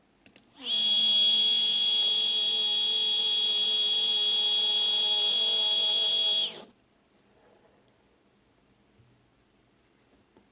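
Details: Two Z-axis steppers wired in parallel on one Duet driver, current raised for two motors, acceleration 120, feed rate about 2000: a high steady buzzy whine with no smooth travel. Motors are stalling and chattering in place since an earlier bed-lowering stall, cause unknown.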